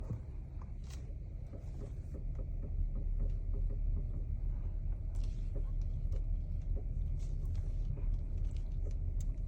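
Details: 2022 BMW X5 while driving after a long drive: scattered light irregular clicks over steady low road rumble; clicking from the steering, source not yet pinned down.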